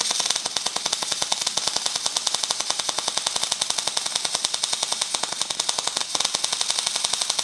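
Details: Welder at about 120–150 amps: sharp, evenly spaced pops about nine a second over a hissing sizzle; arc stubbing and running too cold, and too fast.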